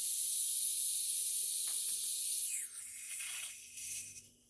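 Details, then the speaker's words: 2000 Honda Civic, single overhead cam, automatic, engine running during AC refrigerant top-up: sharp steady high hiss tapering off after a few seconds; refrigerant leaking past bad Schrader valves, both leaking. "Well, we've got a little bit of a leak from this side, and there's not much we can do. Fuck, both Schrader valves are leaking, man."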